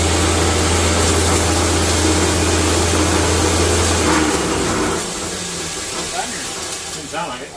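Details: New grain grinder grinding whole grain into fine cattle feed: loud, steady roar with deep even hum and rushing grain, easing off as grain runs through; no knocks or rattles, healthy mill.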